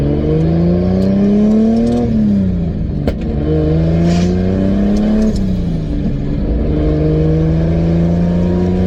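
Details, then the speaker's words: 2003 Nissan 350Z with 2JZ swap, cruising about 55 mph in fourth gear after a misfire fix: steady drone rising and easing with throttle under road noise, no stumbles or random pops where misfires used to occur; smooth cruise. "right now we're cruising about 55. and I don't hear anything because usually they'll just be like a random misfire as you just you know go along"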